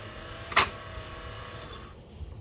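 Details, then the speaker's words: 1966 Ford Bronco windshield wiper motor bench-run on high speed (blue wire), lowered mount: fast buzzing with one sharp pop early, then winds down; linkage popping, owner suspects wiper bracket mounted too far back. "So actually, what I'm seeing right here, Joni, is my bracket. I believe my bracket is a little too far back. It is. Why do you say that? Because you hear that popping."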